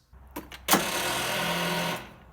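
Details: Craftsman T1400 42" lawn tractor, 17.5hp Briggs & Stratton, starting attempt: about a second of labored starter whir dying away without the engine catching; slow crank from poor battery ground contact on painted frame, not the solenoid.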